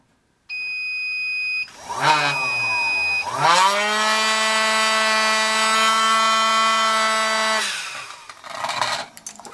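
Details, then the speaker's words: Small DC motor removed from a hot air corn popper, bench-run on a 15 V low-current DC power supply: clean tone sweeps up, settles into a steady hum, winds down; runs smoothly, judged a keeper. "So it's a DC motor. It's a little DC motor. That's a keeper."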